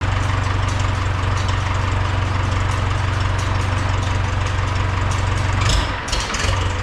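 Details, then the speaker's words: 1971 International Farmall 544 tractor during tune-up: engine holds a fast, steady high-idle drone with no drop to slow idle; throttle shaft ends up reversed, so with the lever at idle the carburetor runs wide open and vice versa. "okay something just happened here so basically the throttle shaft ends up being in the wrong position so when the throttle lever on the tractor is at idle the carburetor is running wide open and vice versa"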